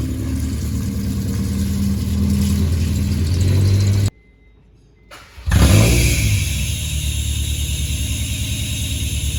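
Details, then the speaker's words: 2001 Honda CR-V RD1 with exhaust pipe rusted out just in front of the muffler, to be fixed with a welded-in pipe section: loud, raspy engine note with deep throaty rumble at idle and revs after restart; exhaust leak. "It r uh pipe rusted out right in front of the muffler. So, we're going to get a new piece of pipe in there, welded in. As you could hear, it's pretty loud."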